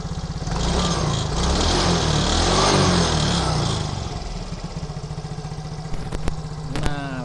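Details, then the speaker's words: Yamaha motorcycle after a manual ISC reset: brief blip fades into an even, steady single-cylinder putter with no rising or falling of revs; idle now stable, unlike the earlier hunting. "Dan sekarang nah untuk stasionernya sudah stabil ya, tidak naik turun seperti yang di awal tadi."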